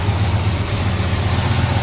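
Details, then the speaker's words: Ford Falcon V8 on a Sniper fuel setup, cold start after swapping plug wires 7 and 8, which were on the wrong way. Even low burble idling about 1,000 rpm with regular firing and no misses, still smoky but smoke lessening; smooth idle. "Oh, that sounds good. What's that idling at? 1,000, not bad for a cold start."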